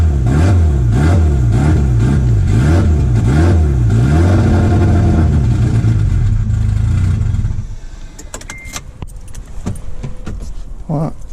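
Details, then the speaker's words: 1991 Mitsubishi Galant VR-4, custom turbo, E85 tuned, speed density, first start after installing semi-built AWD transmission, intercooler piping not yet fitted: lumpy idle surging about four times a second before cutting out; rough idle, missing intercooler piping suspected. "I think I'm going to put that intercooler piping on so I could get it to idle I think that's why the idols off"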